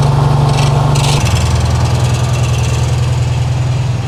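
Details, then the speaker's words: 1968 VW Karmann Ghia, new 1600cc dual-port engine, cold on high choke: uneven lumpy putter at fast idle that drops and settles lower; rough cold idle, oil pressure about 70 PSI, heat tubes not yet fitted, tuning still needed. "obviously it's not going to leave sounding like that but cold idle about 70 PSI give or take so that's good"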